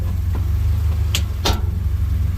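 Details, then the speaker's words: 2016 Ford Expedition shifting between drive and reverse: a couple of sharp metallic pops over steady idle as the gear engages. Suspected worn bushing or bolt in the rear arm. "that's it right there either that bolt that bushing is wore out in that arm again again yep that's that arm right there that goes to the rear end that's popping"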